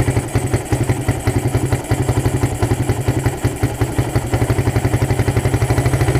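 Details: Suzuki Satria FU with a PWL/PE28 28 mm carburettor, just cleaned and re-jetted (main and pilot jets changed) to cure hesitation when throttled; starts on first press, quick even single-cylinder putter at steady idle, no misses; normal idle.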